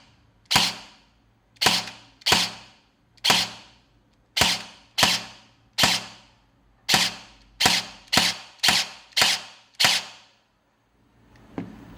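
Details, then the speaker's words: Guarder AKM airsoft rebuild with replaced gearbox, SP120 spring and AOE buffer, dry-fired on semi: about a dozen crisp cracks, each with a faint zip; the zipping is normal for infinites as long as it isn't louder than the piston pop. "It has that zipping sound, which is still quite normal for infinites. As long as the zipping sound isn't louder than the popping sound made by the piston and the motor, it's actually fine."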